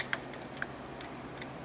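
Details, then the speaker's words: Air compressor pressure switch worked up and down by hand: a few sharp light pops with no solid latch; the switch is not engaging, owner may repair it or order a whole new part. "up down so it's not engaging um i might be able to fix that or i might just have to order a whole new part"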